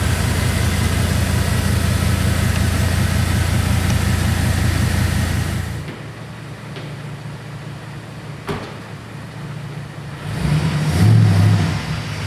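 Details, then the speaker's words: 2002 Silverado 2500HD after replacing a labored-sounding rebuilt power steering pump with a new ACDelco pump: steady idle with no whine or groan from the pump; power steering running quietly. "good quiet like I said before when I was breaking and turning at the same time it sounded like the pump was really labored"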